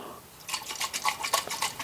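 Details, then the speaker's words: La Crosse TX144W wind speed sensor, which had been groaning, probably from a loose magnet rubbing inside, being shaken after new batteries were fitted: rhythmic sloshing and light rattling, meaning water is trapped inside the housing. "and there's water sloshing inside which tells me it's it's not really good the water is not coming out anywhere but there's there's definitely water inside"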